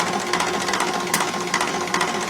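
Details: Rebuilt Roosa Master DBG rotary injection pump (DBGFCC6371DH, upgraded to 6372DH spec) for a 1968 Minneapolis Moline G900, on the test bench after repair, air bled: fast, even clatter of pumping pulses, steady rhythm, no misses or grinding; pump delivering fuel normally.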